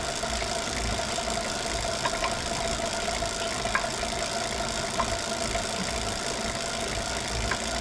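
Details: Steady flywheel whir with a faint tone from a Wahoo Kickr Core trainer, broken by occasional irregular sharp knocks; source of the knocking unknown.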